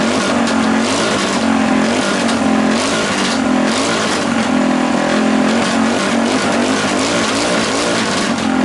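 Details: Rebuilt Tillotson 212cc with governor delete, billet rod and flywheel, stock piston, header and PZ22 carb: repeated hard revs flatten and won't climb freely; the owner believes the PZ22 carb is too small.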